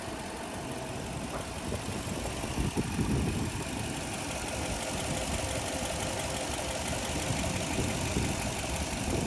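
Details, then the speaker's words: 2004 Toyota Land Cruiser with 2UZ V8, 189,000 miles, timing belt replaced at 150,000, recorded in the engine bay: low, even idle rumble with a steady pulse and no knocks or ticks. The V8 idles smoothly, normal. "It does have a 2UZ engine, and like I said, you can hear everything is running well."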